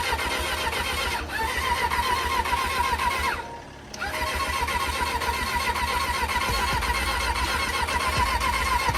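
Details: Cheap old 600 cc motorcycle that wouldn't start, choke used: steady fast starter churning, pause, more cranking without catching; cranks but won't start, owner thinks it just needs a battery.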